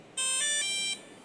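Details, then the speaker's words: DJI Mini 1 that would not power on, after fitting another ESC board: motors twitch then short clean electronic tones step up in pitch over about a second, normal startup melody; fault was the previous ESC boards. "刚刚一开始电机就有动，然后又有开机音乐了，很明显就是电条板问题啊。"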